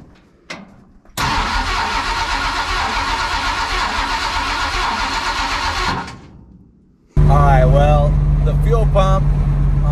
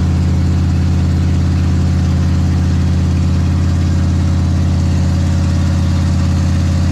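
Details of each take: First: Big block Ford 460 in a 1956 F-100 at first fire-up, open headers with no mufflers, fed from a gas jug; catches and idles steadily about five seconds, then fades and stalls; failed mechanical fuel pump, replacement ordered. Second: Big block Ford 460 in a 1956 F-100 on open headers with no mufflers, settling in after cam break-in; deep, steady, lumpy idle with even firing, no knocks or misses; normal idle.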